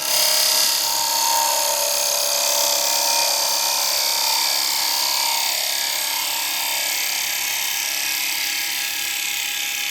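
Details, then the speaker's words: Woodturning a re-mounted bowl on a lathe with a carbide tool; steady, even high hiss with no hard-soft chatter, a clean, smooth finishing cut without wavy lines. "I'm pushing it to its Max so it's not flexing I'm not getting hard and soft hard and soft I can pick up that cut and I can get that cut round and I don't get my wavy lines"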